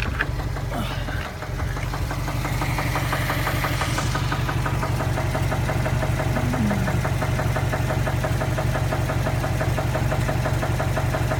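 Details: 2015 Subaru STI, warm engine idling after a 2–3 mile drive, sudden onset with no warning lights: steady hard knock about three times a second; cause unknown.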